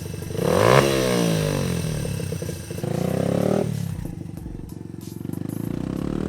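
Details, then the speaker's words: Honda XR80 dirt bike after a carburetor rebuild kit and a change from 35 to 38 pilot jet: runs well down low with no bog, but revs sag briefly through mid-range then pull hard again; owner suspects the needle is too rich and needs adjusting. "So she runs really good down low doesn't bog anymore, there's just a little bit of hesitation like mid-range You can hear it. It'll pull and that will drop off and that'll pull hard again."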